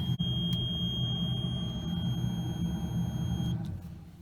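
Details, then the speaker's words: 1997 TVR Cerbera at idle: a thin steady high whistle over the rumbling idle holds for three seconds, then cuts off with a click; just the stereo switching off, normal. "That noise is the stereo turning off."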